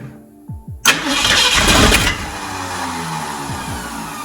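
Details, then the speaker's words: 1969 Ford F100 V8, sat in a field for years, first start after engine work: a couple of quick, firm cranks from a strong starter, then it catches and roars through open pipes before settling; clean start. "listen to that starter. Woo! Man. That sounds good, dude. Finally, this truck is alive."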